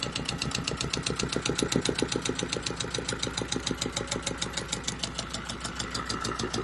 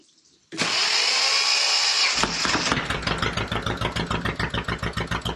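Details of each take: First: Volvo Penta 2002 marine diesel from a 1987 sailboat, repaired with new shims after fuel bleeding, fresh-water cooled: steady even chug idling at about 800 rpm, no misses or knocks, not running hot; healthy idle. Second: Volvo Penta 2002 sailboat diesel after repair and fuel bleeding, cold; cranks, catches, runs uneven and lumpy at about three beats a second, throttle works; owner suspects cold and some air still in the fuel; rough running.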